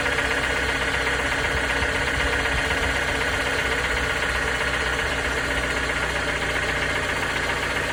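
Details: 2019 Toyota RAV4 at idle: rapid, somewhat uneven knocking about four beats a second under the engine hum; engine knock, cause unknown.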